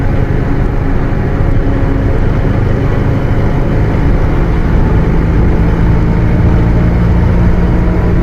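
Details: Bus with Mercedes-Benz OF 1721 BlueTec 5 chassis, Caio Apache Vip IV body, cruising: steady low droning hum at fairly even pitch over the diesel; rear differential howling.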